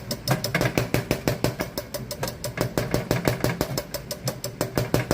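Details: Komatsu PC200 excavator diesel after all six injectors rebuilt and solenoid control valve replaced, previously cranking with no start: steady chugging about three pulses a second, no misses; normal idle.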